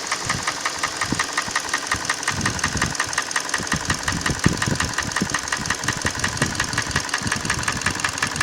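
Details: Hyundai ix35 petrol engine at idle: sharp regular knock near three per second, keeping pace with the engine over steady idle; engine knock, source unknown.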